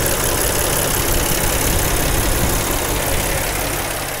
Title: 2010 Jeep Wrangler engine noise